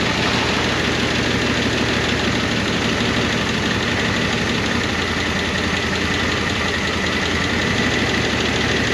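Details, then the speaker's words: 1988 Monte Carlo SS V8 sitting since the 1990s, running off the tank at a steady idle with fast light top-end lifter ticking; owner hopes the noisy lifters quiet down. "Hopefully, these lifters quiet down cuz uh they've been raising cane."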